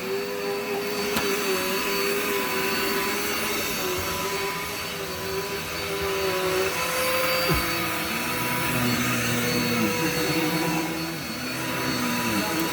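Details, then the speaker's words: Dirt Devil vacuum with automatic height adjustment on a very thick shag rug: steady whine sags and wavers as the brush bar digs in, motor bogging down under the load. "This vacuum hates this rug. Why is that? It's a very thick shank tile rug."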